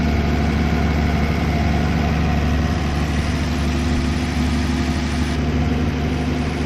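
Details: 1964 Plymouth Belvedere slant six, three-on-the-tree, sat about 20 years, running on bad gas: smooth, even low idle with a steady beat and no misses, knocks or ticks; normal idle.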